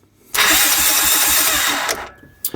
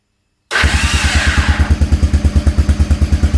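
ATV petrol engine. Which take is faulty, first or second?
second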